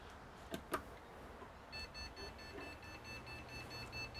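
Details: Desktop PC on power-up: switch clicks, fan spins up, then an unbroken high continuous beep, no boot; suspected RAM fault (2×4GB DDR3 modules).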